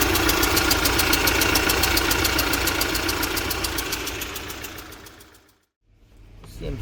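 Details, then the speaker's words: UMZ-4216 Evotech 2.7 Euro 4, 129,000 km, check light on and misfiring in cylinders 1 and 4: sharp regular ticking about three and a half per second over a rough idle; suspected cylinder 1 intake valve seat. Valve seat knock. "сегодня хочу вам показать как стучит седло клапана euro 4 40 до 16 загорелся и начал троить"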